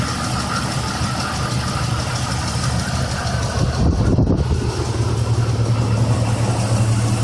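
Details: Jeep XJ 4.0 inline-six, warm idle: light fast ticking heard after warm-up; owner thinks it's the valves, unconfirmed.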